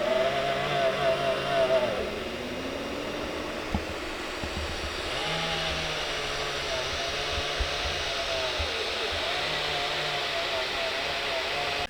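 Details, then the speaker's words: Elegoo Neptune 3 Pro 3D printer after 4 weeks' use: front motherboard cooling fan with a failing sleeve bearing whirs with a wavering, rough buzz, worst at start-up while bed and hot end heat; replaced with ball-bearing fan. "for the circuit board at the front has gone very very noisy and it's definitely a bearing problem you know when the bearing is going in the fan it starts making all sorts of horrible noises"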